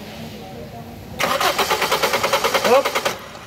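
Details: Toyota Vios hard starting: starter cranks evenly about seven pulses a second with no catch; ignition spark OK.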